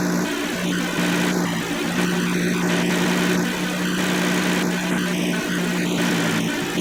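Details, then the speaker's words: 2007 Kia Sedona 3.8L idling after AC compressor replacement (old clutch windings shorted), belt only with no AC load yet: smooth, steady low hum, no rattle or squeal; normal running. "Check everything with just the belt itself. No load of the AC yet. So far so good. Everything's good there."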